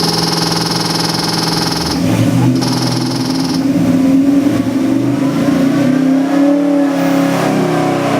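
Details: LS3 427ci EFI stroker V8, in a 1956 Chevy: starter spins, fires cleanly and settles, revs rise and fall smoothly and crisply without misses or knocks; normal start and revving.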